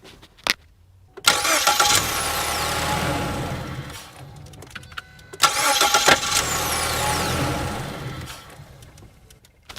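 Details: 2014 Ford Escape 1.6 L, microphone set inside the vehicle, two crank-and-start attempts with a sharp metallic chatter over the starter whir; intermittent noise during cranking, suspected internal at the front of the engine, cause not confirmed.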